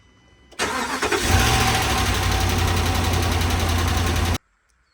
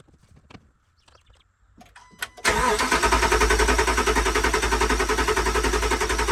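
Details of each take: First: 2013 RAM 1500 5.7 HEMI V8 after a previous owner's cam and lifter replacement: starts and fast-idles with light rapid valvetrain ticking, later traced to improperly installed pushrods and rocker arm shafts that damaged the pushrods and rocker assemblies. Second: 2013 RAM 1500 5.7 HEMI V8 after replacing damaged pushrods and rocker arms that had been improperly installed after a cam and lifter job: quiet crank, clean catch, even idle with no ticking or knocking, sounds a lot better.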